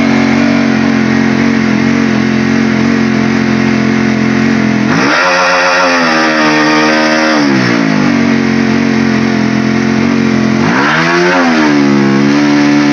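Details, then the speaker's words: Honda CB150R that won't rev out fully, idle and free revs are normal, but when revs are raised and held they sag back down and power drops; owner suspects a sensor imbalance; power loss at held throttle. "Nah, kondisi saat ini adalah ketika putaran mesin dinaikkan dan kemudian ditahan, ya begitu. Jika dipegang terus menerus, daya yang dihasilkan akan berkurang."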